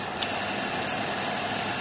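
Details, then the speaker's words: Eumig 8mm dual-gauge projector after transport servicing with bearings secured: steady, even whirr with no squeak or catching, running smoothly forward; normal running. "and that's running really quite nicely um Swit it on backwards see it was certainly sticking on backwards before and again that seems to run quite nicely"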